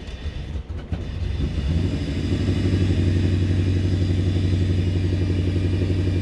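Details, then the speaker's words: Toyota 1UZ-FE V8 swapped into a Land Cruiser, first start after wiring: catches and settles into an uneven, lumpy stumbling idle, some cylinders not firing; timing roughly right. "avons des cylindres qui se produisent je ne sais pas lesquels certains mais nous avons du travail je ne suis pas sûr d'avoir bien compris mais nous avons globalement raison"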